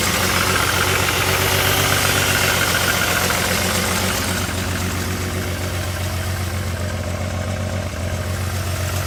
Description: This engine has a bad misfire on one cylinder.